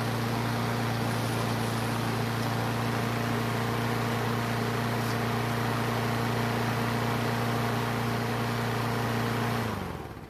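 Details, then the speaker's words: Craftsman self-propelled mower that sat for years and wouldn't start and leaked gas from the air filter, after carburetor seat repair: steady, even single-cylinder drone at constant speed, no misses or surging, then clean shutdown; normal running. "well it sounds great and the self-propelled works"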